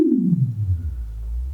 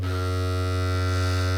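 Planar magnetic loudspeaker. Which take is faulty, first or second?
second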